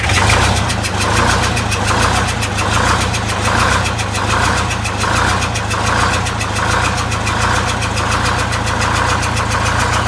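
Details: Greyhound Scenicruiser bus diesel with one bad cylinder bypassed, running on 7 of 8 cylinders, new exhaust and welded muffler fitted; steady lope idle with one heavier pulse about each second.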